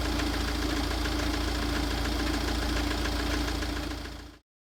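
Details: Tata Safari Storme diesel at idle: steady light knock about four times a second over the engine note from a failing crankshaft damper pulley; fixed by replacing the damper pulley.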